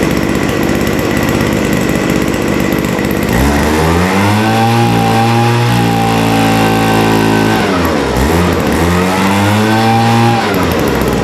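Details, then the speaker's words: Vintage WeedEater two-stroke leaf blower, Walbro diaphragm carburetor with only an idle mixture needle, reopened after leaning caused hesitation: climbs from rough idle to steady full-throttle scream, dips, revs again, slightly burbly up top; running slightly rich at full throttle. "So I'm going to have to open that back up And I think we're just gonna have to live with a slightly rich top end."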